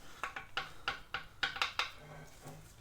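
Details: Front tie rod removed after pothole-induced death wobble: sharp metallic clacks, about seven in under two seconds, as the joint is worked by hand; tie rod end worn loose, replaced with heavy-duty unit.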